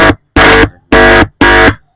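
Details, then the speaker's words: Intex home theater amplifier IC finger-touch hum test without multimeter: four short buzz bursts as the input pin is touched, channel swapped left/right; both amplifier ICs pass signal fine, so the one-speaker low-volume fault lies elsewhere. "य भी IC सही है हमारी हमारी य दोनों IC सही है"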